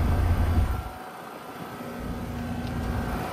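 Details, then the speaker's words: 2025 Trane XR14 1.5-ton R-410A heat pump, February 2025, recently started up: steady low hum with airy fan rush that dips and builds again, no rattles or squeals; running smoothly and working well. "Yeah, there's no question about It's working really good."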